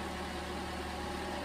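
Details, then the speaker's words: 2011 Toyota Camry 2.5L 4-cylinder, first start after replacing an engine with bad compression: starts first try into a quiet, steady idle with an even hum and no misses, ticks or knocks, running smoothly. "that sounds good that's always nice when uh starts first try"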